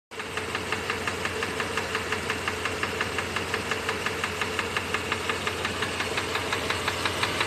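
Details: Mercedes W126 500 SEC petrol V8 at idle: sharp, even tick-knock about three times a second over a steady idle; rhythmic knock of unknown cause.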